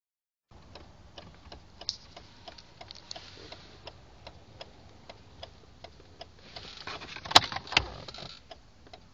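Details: 1980 Mercedes 300SD (W116): light relay clicks with each brake pedal press and release. They come from a relay behind the glove box and another low on the engine compartment firewall, occur with the ignition on (running or not), and stop above about 2–3 mph.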